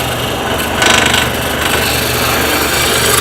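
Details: Wood lathe, spindle turning a bottle stopper blank held in a collet chuck with draw bar: continuous even shaving hiss with no rhythmic tapping as the tool rides the blank; steady cut, the blank is now round.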